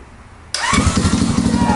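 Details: Boom Vader Grom clone motorcycle, 190cc single, first start after reinstalling the pickup correctly, rewiring and fitting a new exhaust with the carb on; it catches immediately and settles into a quick, even, crisp exhaust beat, starting cleanly and running well.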